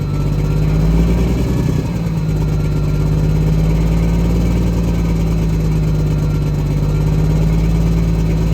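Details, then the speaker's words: Diesel truck after sitting 11 years: low, slightly uneven idle with early surge and faint stumble; engine position sensor readings below normal, crank sensor or harness wire suspected. "I'm telling you, the engine position sensor readings are below. Crank sensor? Or is it the wire that it even plugged in here?"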